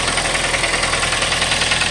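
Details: 2012 Kia Forte at idle, no oil leaks: fast even light ticking over the idle hum; cause not yet identified.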